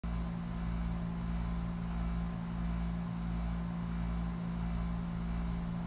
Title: HVAC Sawing/Grinding Sound